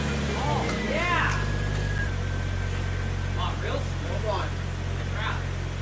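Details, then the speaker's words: Jeep TJ 4.0 liter, first start after tune-up with new distributor cap, rotor, plugs and Blue Streak wires, battery and air filter refitted: low even idle rumble settling slightly lower and staying steady; runs smoothly. "now that the battery and air filter are back on we can hear the jeep start for the first time after our little"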